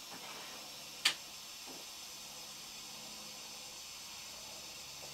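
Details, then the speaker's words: Vintage Primus paraffin/kerosene pressure stove, well pumped, flame focused in cup with splitter glowing red: steady even hissing roar, no sputtering or surging, one sharp click; burning cleanly. "the fire itself is taking the shape of the cup at the top so it's focusing the the energy of the flames and it's burning really quite nicely"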